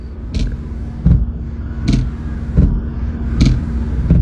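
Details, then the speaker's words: Car wipers after a deformed part was adjusted with a screwdriver: only a soft, even thump at each turnaround, about one stroke every 1.5 seconds; the harsh noise is gone and operation is normal. "Look, the strange noise disappeared. The problem is completely solved."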